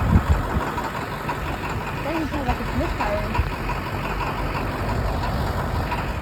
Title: Why does this T444E sound like it’s misfiring? Or is that just diesel knock